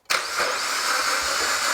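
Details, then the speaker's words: Suzuki Jimny with a used engine bought as "fully tested," freshly filled with oil and coolant, first start attempt: starter spins the engine quickly and evenly with no compression chug; engine seems to have no compression. "Sounds like an engine turning over that's not actually making any compression."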